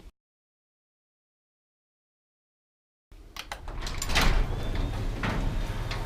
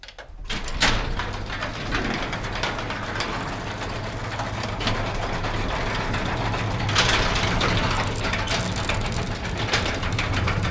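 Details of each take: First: Garage door, after switching to a belt-driven opener and fitting nylon DuraLift rollers: opens with a low, even rumble and only a few light clacks, much quieter, some noise left from the bowed door. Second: Garage door opening with a belt-drive opener: loud, continuous clattering rattle from loose, worn metal rollers and bearings, before replacing them with nylon sealed-bearing rollers.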